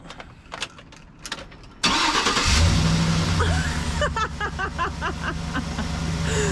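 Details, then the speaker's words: Chevy Express van after exhaust manifold replacement and a no-start traced to the keys: a few clicks, a short crank, it catches at once and settles to a smooth even idle, much quieter. "Wow, that sounds so much quieter. It actually sounds really nice. And that's not even the hush house is not even on it."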